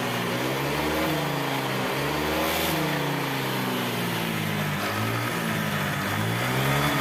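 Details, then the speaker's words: Honda Vario 125 after TPS readjustment: throttle now fine but scooter sits at a fast, slightly wavering idle even with idle screw backed off; throttle position sensor set too high, needs shifting down. "ini gas-gasnya sudah enak ya teman-teman cuman e langstamnya tinggi banget ya kita sudah Setelkan mentuk tetap aja langsamnya tinggi Berarti tps-nya terlalu ke atas teman-teman"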